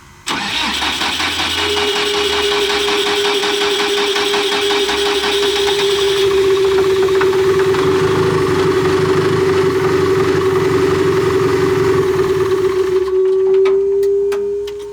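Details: Cat D3K2 dozer diesel with rough running, power loss and white smoke complaint; cranks and catches, then idles uneven and labored with a strong whine, mechanic suspects a plugged DPF despite no soot-loading codes.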